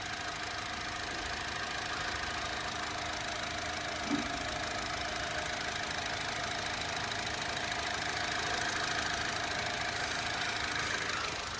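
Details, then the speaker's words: Used Honda Amaze petrol engine at idle: quiet, even idle with smooth hum and light valve chatter, no knocking; normal sound, no problem. "এইটো চাওক, petrol engine হয়, একদম normal sound, কোনো ধৰণৰ অসুবিধা নাই।"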